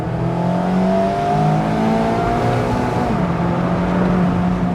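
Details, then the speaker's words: 2020 Mazda MX5 ND2 100th Anniversary edition, 20,000 miles over two years, 11 track days; raspy four-cylinder note, not very loud, jumps sharply on rev-match blip and drops cleanly. Normal rev-match blip. "it's loud enough and the sound you get when you rev match that's nice too"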